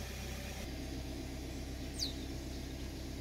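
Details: 2015 BMW X5 F15 air suspension compressor running during the compressor replacement job on the sagging car. Quiet, steady low hum with no rattle or knocking. Normal operation.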